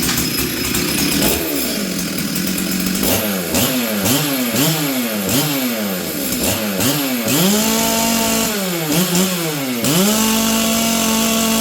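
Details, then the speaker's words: Warmed-up Stihl 044 Arctic chainsaw, low jet at 1 1/8 turns and high jet at 1/2 turn, blipped repeatedly; revs sag and recover unevenly with a burbly four-stroking note; sounds rich and stumbles on acceleration. "listen this thing now uh low jet is is at 1 and an eighth turn High Jet's at half a turn this thing still sounds Rich to me what do you guys"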